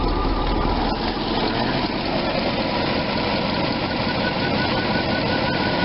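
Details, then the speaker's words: Allegro RV V8 in Park, check engine light on, after new plugs and wires, with the cylinder 8 boot reseated (it had been arcing on the air cleaner and clicking): a smooth, even low idle with no clicking or stumble; it now runs much smoother. "Check Engine yes we know that she'll just start up keep her in Park started right up there"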